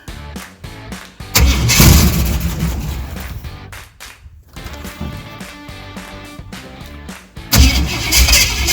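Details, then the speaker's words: 1978 Jeep J20, AMC 401, first start in 20 years, fed from a fuel line into the tank: long fast uneven cranking with brief sputters and no catch; two crossed spark plug wires suspected. "here we go okay sounds like i might have a uh a wire crossed like i got a wire crossed"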